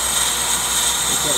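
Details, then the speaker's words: Older Accu-Turn 8922 brake lathe finishing a rotor cut on the inside edge, bit still cutting: steady high hiss with faint thin ring as the bit shaves the rotor face; clean, even finishing pass. "okay friends it's about done more revolutions here on the Inside Edge and we'll be totally done"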